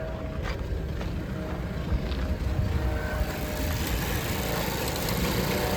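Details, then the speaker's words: 2013 Mazda CX-5 with code P0171 (system too lean, bank 1), rough idle and stalling: low, lumpy idle with rpm wavering up and down, engine shaking like a misfire; suspected faulty mass air flow sensor or vacuum leak. "The engine is shaking and it seems like it has a misfire or something. So, usually the leak condition actually goes to uh the mass air flow sensor or there is a leak in your vacuum line."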